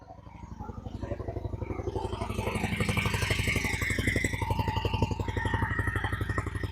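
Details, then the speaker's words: 2000 Honda Shadow ACE 750 V-twin after draining old fuel, as fresh gas fills the carbs. Idle rises on its own into a steady, even beat with no hunting or missing; engine now idles smoothly with clean throttle response. "And the idle automatically picked up. Oh my god, it sounds great."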